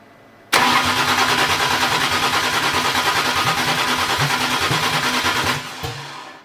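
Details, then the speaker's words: BMW E81 drift car with M50-based engine, standalone ECU, 630 cc injectors on E85, first start attempt: starter churns steadily about five seconds, roughly three pulses a second, never catching; crank no start from wrong ignition trigger angle, 84° (non-VANOS value) to be changed to 324°. "Katoinkin aiemmin, että triggerikulma oli 84 astta. En tiedä sit kumman triggeripyörän Petri tuonne laittoi, mutta se on varmaan vanoksen versio, koska tuo 84 on vanoksettoman arvo ja se ei toiminut."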